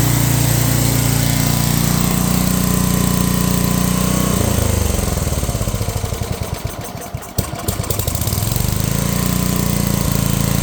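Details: Unknown-year childhood riding mower/ATV with many miles, single-cylinder, throttle set high, in neutral, on a damp morning: runs fast, dips briefly then races back up, never settling to low idle; owner suspects governor adjustment needed, unconfirmed.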